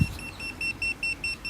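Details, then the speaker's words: Milwaukee M18 Hot Shot JS2000 jump starter with clamps on reversed battery terminals: rapid high-pitched beeping, about five a second, and flashing light warn of reverse polarity, blocking charging. "That beeping is indicating, as is this flashing light here, that you have got the clamps on the wrong terminals."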